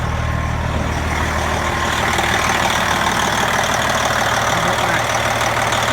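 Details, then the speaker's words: Brand-new 2017 Freightliner Coronado Glider with a factory-overhauled Detroit Series 60 12.7L DDEC IV diesel (500hp) and an Eaton 18-speed manual, just fired up: a steady, even idle with a smooth low rumble at about three pulses a second and no knocks, healthy. "For those of you that are Detroit 12.7 fans, you'll recognize the sound, and we'll go through the interior and let you have a listen as well."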